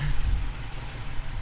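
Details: 2018 Dodge Challenger R/T Shaker 5.7 HEMI V8, 8-speed auto, petrol/LPG, about 47,000 miles, freshly serviced with new oil, idling: deep low burble, no ticks, knocks or whine; smooth and healthy.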